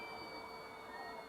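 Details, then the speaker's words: Elegoo Neptune 2S 3D printer Z-axis stepper driver, current trimmer turned with a ceramic screwdriver to quiet the motor: thin, steady high-pitched whine whose pitch shifts as the driver current is adjusted. "so if we take our ceramic driver we can turn to the left just a little bit quarter turn or eighths turn and we can hear the sound the frequency changing"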